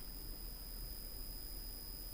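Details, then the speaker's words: PC recording with the laptop charger plugged in: steady low electrical buzz with faint high whistles under the audio, gone when the charger is unplugged; mains hum from the plugged-in charger. "just take off your block and if i plug back the charger and you might hear the buzzing cell right now"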